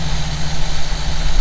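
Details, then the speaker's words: 1952 truck idling after replacing the fuel filter, likely what had left it sitting almost a year (fuel pump first suspected): low, even idle rumble, steady beat, no stumbles or misses. "Alright guys, we're in it. It's idling, it's running."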